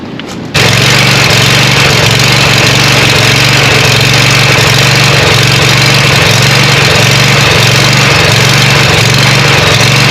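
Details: Scag Cheetah 61-inch mower with a swapped-in Craftsman 24 hp Briggs & Stratton twin, after a bolt secured with thread lock: fires up, steady even twin drone for ten seconds, no shaking, rattle or knock; normal running.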